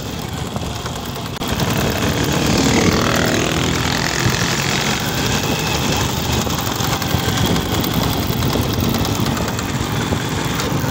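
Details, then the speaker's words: Honda XRM110 motorcycle, mic near the engine, in second gear: loud, rough helicopter-like thrashing whine; mechanic suspects a chipped or broken transmission gear tooth, to be confirmed on overhaul. "makina ayan maingay sa kanyang second gear So yun ah sigurado nito Hindi ako nagkakamali yung may sira siguradong napingas o nabungi siya"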